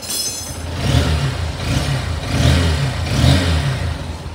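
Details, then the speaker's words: Honda Hornet motorcycle after valve clearance adjustment for engine noise, idle rpm stable: clean even revs swelling and falling three times over steady idle with no top-end ticking; healthy engine. "भाई एकदम perfect और एकदम नीत और clean sound ए रहा है इसका एकदम मजा ए गया इसके आवाज को सुनकर"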